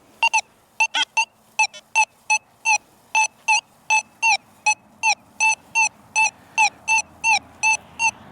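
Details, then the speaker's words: Metal detector pinpointing a silver dime buried 5 inches deep: repeated sharp loud beeps about three a second as the coil's hot spot passes dead over the target; strongest centered signal, target acquired. "Hot spot of coil, target acquired the strongest, right there where that cap is, right?"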